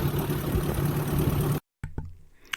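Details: 1958 Ford tractor after cleaning dirty ignition points and gapping them near 20 thou: steady, even low idle with a regular beat and no stumbles before cutting off; flooding cleared, engine running normally.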